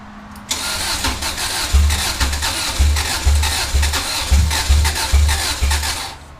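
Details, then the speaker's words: EJ22T DOHC at first start on a RobTune EJ20G ECU: the starter churns in steady heavy pulses without firing; no spark, traced to wrong MSD coil pack wiring because 1991 wire colours differ. "hmm well it cranks it does not have spark"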